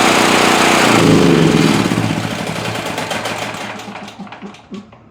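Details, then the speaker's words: Generac GP5500 generator, repaired after being locked up by a cylinder head/valve fault, restarted with choke on: fires evenly at a quick steady beat, then switched off and coasts down to a stop; runs healthily. "Sounds great."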